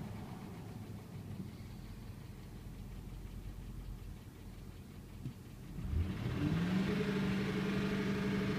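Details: 2008 Ford F250 5.4 3V V8, recorded from inside the cab; steady idle with a faint, fairly even tick underneath, then a rising tone as revs climb; source of the noise not pinned down.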